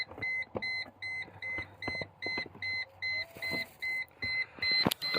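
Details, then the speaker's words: Mercedes C140 with door open: high two-tone beep repeating steadily two or three times a second; persistent door-open warning chime, cause unknown. "I still also have this noise which sorry for the beeping like I said it in my ignition video it still does that with the door open"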